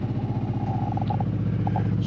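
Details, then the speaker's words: Onan generator in an Arctic Fox 990 truck camper, heard from inside at about 70–75 dB: a loud, throbbing drone with a fast pulsing shake. The dealer says noise and vibration are the top complaint, and the owner plans to add foam insulation. "really loud so i talked to one of the guys at the place where we bought the uh the camper and he said the noise and vibration of the oman generators is actually the number one complaint from people who bought these"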